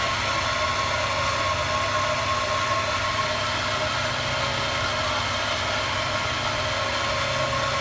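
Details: 1998 Honda Accord EX, 195,000 miles, whining when accelerating since 12/3/17, louder with hood open: steady thin whine around a thousand hertz over calm running engine; engine bay whine, cause not identified.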